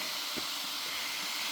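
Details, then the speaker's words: MJX 10208 Hyper Go V2 1/10 RC car with brushless motor: steady airy high-pitched whir with no low rumble from three small cooling fans, one on the speed controller and two on the motor, running normally. "і давайте ж поглянемо звідки Цей шум чому вона так шумить а шумить вона через те що тут аж три вентилятори один на регулятор швидкості внин тут 100 а та два на ось такий безщтковий потужний"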